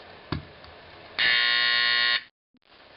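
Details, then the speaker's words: Simplex 4050 120 V AC horn set off via safety switch: steady, harsh electronic buzz holds evenly for about a second, then stops cleanly; normal horn sound. "So first I'm going to set off the 4050 using this little red safety switch that I have."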